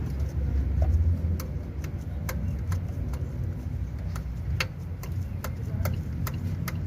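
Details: Hyundai/Kia i20 G4FA/G4FC engine at idle: sharp light uneven ticks about three per second over a low hum, pointing to a loose part in the head such as a dropped valve guide; metal fragments found in combustion chamber.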